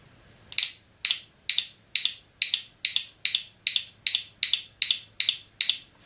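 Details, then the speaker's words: Mercedes 722.6 automatic transmission shift solenoid removed with the valve body during conductor plate replacement, bench-powered by a small battery: crisp sharp even clicks about twice a second, no buzz; electrically it opens and closes correctly, pressure holding untested. "the solenoid very clearly audibly opens and closes I can feel it it's vibrating so it definitely works correctly"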